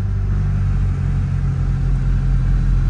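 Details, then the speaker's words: 1990 Toyota Camry 3S-FE right after new timing belt, water pump and seals, no coolant yet in block: smooth even running, steady low hum, no knocks, ticks or belt noise; timing correct, sounds healthy. "all right sounds good um I don't know if I mentioned this I did uh not put any coolant in the car yet so no coolant is running through the block"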